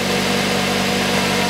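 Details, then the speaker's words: 2006 Mazda 3 1.6, after replacing the drive belt (AVANTECH 6PK2010), idler (GATES T36418) and tensioner pulley (GMB GTA0490): a smooth, steady idle hum with no rumble, chirp or clicking. The belt isn't wandering on the new pulley; normal idle. "Ремень на ролике не гуляет, и ролик новый не гуляет, ходит"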